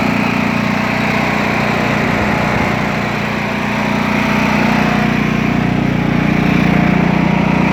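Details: Craftsman T2200 tractor, Briggs 540cc single, just reassembled after camshaft replacement: steady, even idle at constant pitch, no knocks, misses or surging; no leaks or exhaust smoke; healthy.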